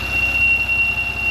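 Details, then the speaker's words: Porsche Macan warm after about 4–5 minutes idle and a few throttle blips, thin steady tea-kettle whistle from the engine bay, first suspected pulleys but traced to leaking PCV valve. "All right, this is the noise that I thought was coming from here, but it's not. Let me show you. This is where it's coming from. So this is going to be your PCV valve."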